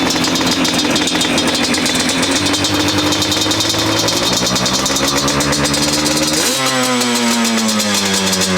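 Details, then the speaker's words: 2005 Yamaha Banshee SE two-stroke after a TORS delete and carb cleaning, pilot air screws set 2 turns out, run without choke: a fast, steady raspy idle that won't settle; the owner suspects the idle screws, not a runaway. "All right, so I don't feel like that was a runaway. I feel like that's idle screw. So I'm gonna loosen the idle screws down, back them out a quarter of a turn."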